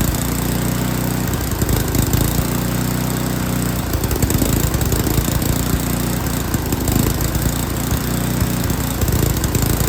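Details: Yard King snowblower that would not start, small engine at full throttle with choke on, runs rough and lumpy, surging unevenly, then steadies and picks up as the high-speed carburetor mixture screw is adjusted; carburetor was not tuned correctly.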